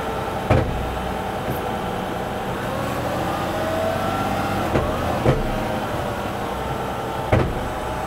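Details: 2024 Mazda CX-90 during transmission initial learning via diagnostic tool, fluid warmed to 50–105 °C, shifting Reverse/Park/Drive at a stop: engine revs rise and fall with sharp clunks as gearbox shifts, normal during learning before VCM reprogramming.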